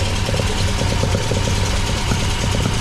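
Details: MGB with freshly rebuilt Weber 45DCOE carburettor (new jets), idling cold before reaching temperature: lumpy, uneven pulse over low rumble; owner suspects one choke doing more work than the other; unconfirmed.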